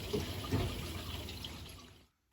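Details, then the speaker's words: Newly installed boiler filling with water in air purge mode to clear air from the heat exchanger. Soft trickling water rush for about two seconds, then it cuts off; still filling normally. "So most modern boilers these days, they'll do an air purge mode. It's going to get all the air out of the heat exchanger, but I can still hear it."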